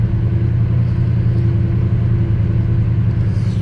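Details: NZ-new 1985 Chevy Squarebody Custom Deluxe V8, formerly LPG-run, started after sitting a while, good oil pressure, warming up: deep, steady, even V8 idle rumble with no knocks or ticks. Normal, healthy idle.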